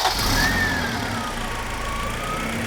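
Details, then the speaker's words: Honda Civic first start after many months with replacement engine, compression test good; catches at once and settles into an even, steady idle with no misses, knocks or rattles. "Oh yeah, smooth. It looks terrible, but the engine is pretty good."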